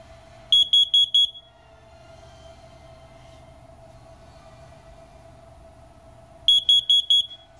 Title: First Alert Carbon Monoxide Alarm